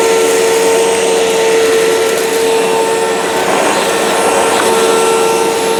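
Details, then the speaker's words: 2005 China-made Hoover Wide Path Preferred U5018-900 upright vacuum, 12-amp motor, test run on floor with debris: steady mid-pitched whine, airy rush, faint debris rattle, no surging; normal running. "So I'll unplug the microphone, put some crap down on the floor, and test run it."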